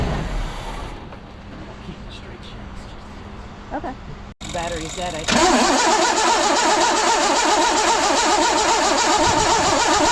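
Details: 1982 GMC S-15 pickup after the loose one-bolt starter was refitted: brisk, even cranking with no grinding or clashing at engagement, then a steady run. Starter sound fixed, though it possibly still needs a shim.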